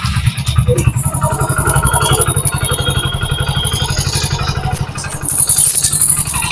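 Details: Hero Splendor BS6 motorcycle engine running before timing chain replacement: quick, uneven metallic rattle about four per second over the beat, from a worn, slack timing chain.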